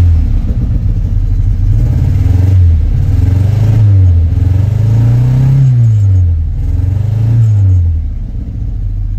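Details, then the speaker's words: 1967 Austin Cooper S just started after about 8 years sitting; low uneven rumble rising and falling with revs, irregular lumpy beat, running rough and expected to clear up with running. "doesn't sound the best but at least it's running it'll probably take a while for the engine to clear up"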